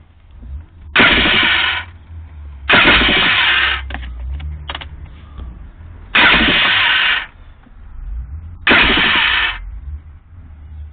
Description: My 89 Kawasaki 650sx won't start. It turns over once then makes a weird electrical noise or something.